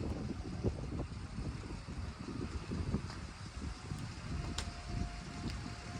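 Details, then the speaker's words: Barn-find classic car, first start after 33 years stored, with 50 lb oil pressure. Low, even idle under wind noise, no knocks or ticks; normal idle. The fuel pump line is leaking and the heater core is bad. "does have a 50 lb oil pressure and it sounds good. Doesn't look that good, but it sounds good."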